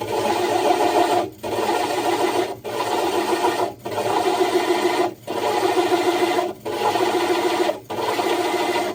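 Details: Diamond hole saw drilling the glass of a 60 breeder aquarium: even drill whir in bursts about every second, cut briefly as pressure is lifted and drill power varied rather than brute force; normal smooth, controlled cut.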